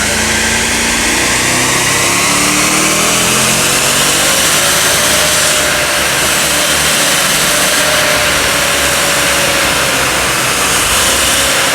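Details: 2007 Mercedes R63 AMG, naturally aspirated 6.2 L M156 V8, 111,000 miles, after dyno tune at wide-open throttle in fifth gear reaching about 160 mph: loud steady roar, smoothly rising tone, no knocks or rattles, rock-solid normal high-speed run.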